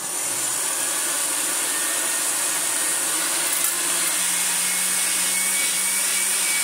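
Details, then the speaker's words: Restored Hoover Senior 652a upright vacuum, tested to tell whether the motor or the brush roll makes the noise: a steady rushing roar with a scraping edge, and a low hum creeps in partway. The noise seems to come from the brush roll. "so it is something in our brushroll though who knows either way that'll do"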